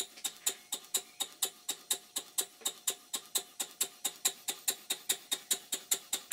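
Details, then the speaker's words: Stuart 5A model steam engine bought online, originally not working, running after crankshaft bearing top cap refitted; sharp crisp ticks about four per second; connecting rod small end very sloppy in the crosshead, though the engine runs. "this is a shot of the small end of the connecting rod and as you can see it's very sloppy in the cross head but the engine runs"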